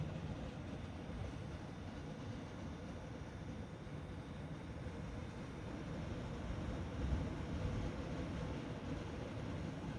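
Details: Choke whine test of an RTX 3080 Ti Colorful Vulcan graphics card: only a low rumbling background with no high-pitched squeal or buzz; the card runs silent, no coil whine.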